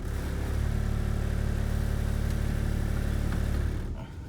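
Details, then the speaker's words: 1996 Toyota Avalon at idle, shifting park, drive, neutral, reverse: deep idle rumble with steady shake, about four pulses a second, felt in drive and easing out of gear; worn motor mounts, all four to be replaced. "neutral reverse ass back on park so you can tell that the motor mounts are need to be replaced"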